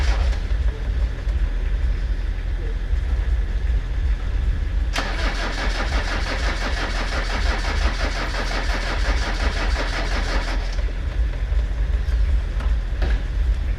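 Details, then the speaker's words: Land Rover Discovery 300Tdi diesel bought at a Copart salvage auction, started on jump leads, with oil above maximum and the stop solenoid held. After cranking it catches and settles into a steady even low clatter at idle: runs normally. "oh all right just hold that stop solenoid on the fire for us oh right it runs so let's see if this works"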